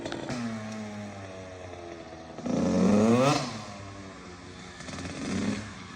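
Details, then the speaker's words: Kawasaki KX85 two-stroke after water pump and case seals and gaskets were replaced to stop leaks; test ride with revs rising crisply and falling back, a shorter second blip, clean pickup with no bogging; sounding much better. "Sounding way, way better than it did."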